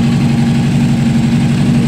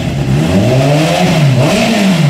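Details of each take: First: Honda CBR600RR inline-four idling cold, unstable: uneven stumbling beat with one cylinder dropping out; that cylinder reads about 45–50° versus about 80° on others, failing ignition coil suspected. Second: Honda CBR600 with a failing ignition coil, after extra insulating tape was added on the coil; temperatures confirm the dead cylinder is now firing: revs up and down smoothly with no misfire, settles to a steady idle.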